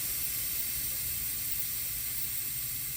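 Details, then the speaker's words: Tractor-trailer truck during a driving-school air leakage test: clutch in, in first gear, key off then back on, wheels chocked, both air valves pushed in. A soft, steady hiss with no pulsing or rising tone as the air stabilizes. Normal before the brake is held for a minute. "See, now the air just stabilized."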